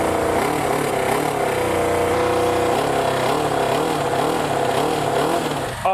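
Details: Japanese bike from an import container, first start after storage with fuel drained: revs rise slowly and unevenly with uneven firing and lazy pickup rather than a crisp snap; rough running, cause uncertain.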